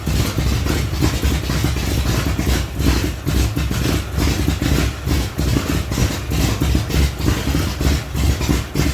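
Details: 1975 Datsun 280Z, swapped 358 small-block Chevy V8 on Megasquirt 3X, first start in over 4 years after wiring fixes: loud, slightly lumpy low rumble holding steady idle, no knock or misfire; normal idle.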